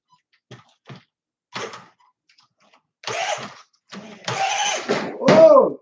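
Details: New Tamiya RC car with a 540 electric motor, first test after assembly: short bursts of high whirring whine rising and falling cleanly with each throttle blip; the motor spins up freely and runs strong.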